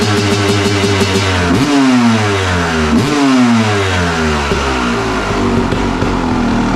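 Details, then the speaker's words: 1997 Kawasaki KX250 two-stroke, sat for years, first start after draining old fuel, carburetor not taken apart: crisp ringing note rising and falling through clean throttle blips, no misfire or bogging; normal revving, not yet ridden. "This thing here I'm so glad I didn't have to take the carburetor apart. She sounds crisp, sounds good."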